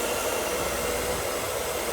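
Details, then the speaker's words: Mercedes W124 M103 with random overheating, nearly new cooling system except the two coolant relays, cold start: a steady, even electric whir of the secondary air pump sits over the idling engine. Secondary air pump running normally. "There's two coolant relays. One of them is high and low speed for the fans. Got the air pump going, you can hear it. Cool."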